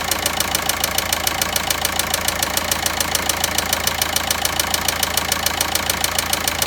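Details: VW Passat 1.9 diesel at idle: sharp, very even ticking knock about three or four times a second over steady diesel idle; engine knocking, source not pinned down.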